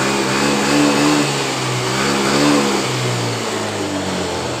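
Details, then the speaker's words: Yamaha Mio M3 with normal 42 psi fuel pressure and normal idle: revs rise unevenly and hesitate at mid and full throttle. The cause is not confirmed. Engine stumbling under throttle. "Jadi seperti itu. Terasa di bagian dari tuas gasnya tersendat."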